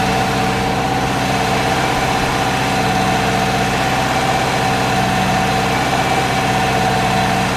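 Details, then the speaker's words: Subaru with a newly built engine, first start and cam break-in: a busy, slightly uneven idle that wanders rather than settling; rough idle, which the owner suspects is injector scaling needing tuning. "it did have a problem idling which i think is just the injector scaling"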